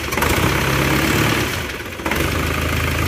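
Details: Isuzu Panther diesel just rebuilt with cast liners: rough, chuffing idle clatter with a brief dip. The engine itself is smooth, but the exhaust flex pipe leaks and the exhaust gasket is badly worn.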